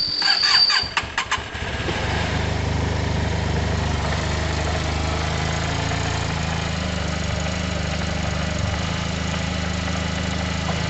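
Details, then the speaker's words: Yamaha TMAX 500 twin carbs just removed and refitted: starter cranks, then the engine catches into a steady, fairly even fast idle on choke with no knocks or misses, sounding happier than before. "that already sounds happier to me guys remember the choke will be on i need to give that a minute or two the choke is currently on"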